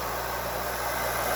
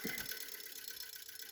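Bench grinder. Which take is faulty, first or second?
second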